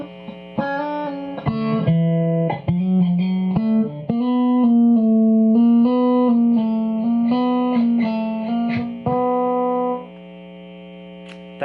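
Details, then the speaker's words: Two guitar amps linked through a stomp box: a steady low mains hum under the electric guitar, plain in the pauses, from a ground loop; an ABY switcher's ground lift cures it. "there is the super awesome ground Loop hump it's going to come through whether I play loud or whether I I play quiet"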